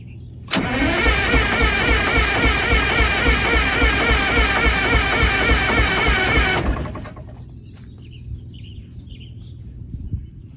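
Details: Motorhome engine, cold after sitting a couple days, usually sticks with white smoke: long loud cranking-and-catch at a steady few beats per second, laboring six seconds before dropping away; possible exhaust leak; hard cold start.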